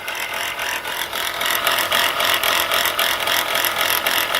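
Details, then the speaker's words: Chrysler Pacifica (crossover) idling: fast, fairly even ticking rattle about three to four a second; pulley bouncing and brown residue around it suggest a shot alternator bearing. "like the alternator bearing is shot and based on the appearance of childish brown stuff around in this area got that pulley bouncing around very well could be"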